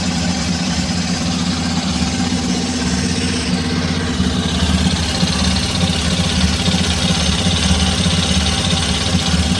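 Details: Hero XPulse 210 single, about 3825 km, near second service, idle after start: steady idle with an even low thump and no ticking from the top end; no tappet noise, engine very smooth.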